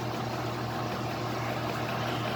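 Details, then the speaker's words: 1966 Frigidaire Rollermatic washer spinning a load of towels: steady low motor hum with a whooshing, watery churn as water is extracted, and a barely audible slight squeak. "right now it's just a couple the water out of the outer towel and it's just getting those clothes just get some of the water out of clothes"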